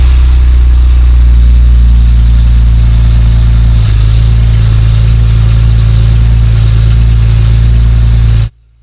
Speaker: I'm not sure if you can hear me or not, but yeah, it started, no issues whatsoever, and I'm happy.